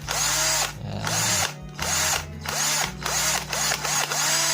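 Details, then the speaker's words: NRT Pro DC 330 cordless drill with its burned RS 550 DC motor rewound with heavier winding: strong, high, even motor buzz in short repeated bursts, louder than the standard motor, with more felt vibration and torque; runs normally under load. "Well, this is the one with a bigger reel, it buzzes more, friends, yes, even if we feel it in our hands The vibrations are different, so you can really feel the torque."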